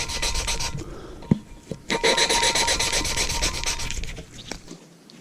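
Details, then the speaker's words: Lapping valves on a 454 big-block cylinder head: quick back-and-forth scratchy rasping as the compound still cuts the valve seat; keep turning under pressure until the grinding sound stops. "so you want to turn it you can hear it grinding you hear that scratchiness you want to turn it to put pressure on it turn it so you can't hear that anymore"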